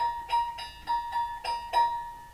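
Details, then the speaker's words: Hegner scroll saw with a quick-clamp blade holder and tension lever: six quick plucks of the blade each ring a clear, bright tone that dies away fast, the sound of a properly tensioned blade. "that is the sound of the properly tensioned scroll saw blade as you can see it's not a very noisy saw"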